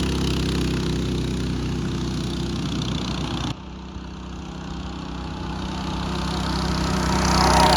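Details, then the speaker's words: Mini bike small single-cylinder engine after fitting a torque converter (CVT) kit: smooth steady running, revs climbing evenly without the former clutch and jackshaft chain rattle; quieter and faster. "Sounds much better, doesn't it? Quieter, faster. It's all good."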